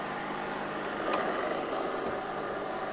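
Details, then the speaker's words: Aldi Adventuridge thermoelectric cooler after power supply repair, drawing about 55–58 W: steady, rough whirring with faint hum from the worn fan, which is nearing end of life. "The fan is very noisy. That's more what it sounds like. It's worn."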